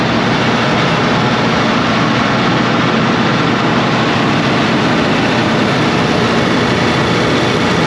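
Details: Cummins QST30 V12 900HP diesel after thermostat replacement and coolant refill: deep, steady roar at constant speed with no knocking, misses or surging; running smoothly.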